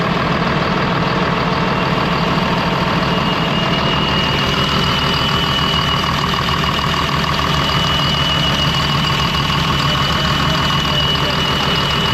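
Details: Ex-US Army Cat D6R bulldozer, 822 hours, first start after sitting inoperative: loud, uneven diesel clatter, lumpy irregular beat at steady idle; running on five cylinders, one injector not clicking well; new injectors ordered.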